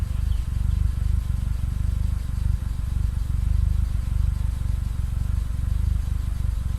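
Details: Mitsubishi Lancer EX turbo revving: heavy uneven thumping about four per second, stumbling rough-running misfire; plugs, leads, coil, cap and rotor, MAF replaced, ECU swapped, coolant and intake air temp sensors in spec, cause unknown.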